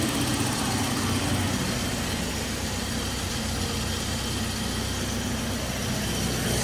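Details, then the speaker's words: Toyota Kijang LGX 1800cc used car with a slight seep at the distributor seal: even idle with a fast light ticking, about three per second; injector tick that is normal for this stock engine. "kalau suara 1800 itu ada titik titik titik injektornya suaranya memang seperti itu ya jadi memang kondisinya seperti itu untuk mesin bawaan dari lahirnya seperti itu"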